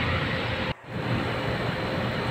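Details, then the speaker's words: Aircon fan motor after bearing replacement, refitted and tested: a steady, even fan whoosh with no grinding, rattle or squeal, running smoothly and quietly, no bearing noise left. "na nga siya tahimik niya wala ngaga na marinig"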